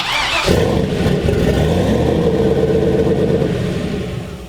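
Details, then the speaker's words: Old Volvo 240 wagon, first start after swap to 1000HP-capable LS V8, crank sensor pins swapped: catches at once into a loud, deep, steady burble, no knocks; oil pressure good, fuel pressure slightly high; normal running. "Damn, that sounds That so shit sounds freaking nasty. sick."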